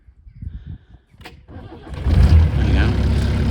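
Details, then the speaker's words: Range Rover Classic diesel with rebuilt engine, 240,000 km, start checked in neutral: cranks, catches and settles into an even, slightly rattly idle; the light clatter is considered standard for the diesel, normal start-up. "So, he's a bit rattly, but to be fair, I think that's standard for the diesel."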